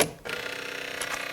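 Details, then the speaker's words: 2000 VW Lupo 1.2 TDI 3L, automated manual gearbox 085, battery reconnected after hydraulic fluid check during basic setting: quick evenly spaced buzzing pulses as the electric pump builds hydraulic pressure for the clutch; normal operation, also heard on door opening. "¿Veis cómo suena el compresor? Eso es que está comprimiendo, se está dando presión al fluido hidráulico para que el embrague actúe adecuadamente."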